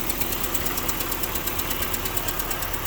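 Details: Vehicle whose worn-out motor mounts are being replaced and which has a radiator leak, idling with sharp, light metallic ticking about three times a second; a noisy lifter or valve is suspected, not confirmed. Valve train ticking.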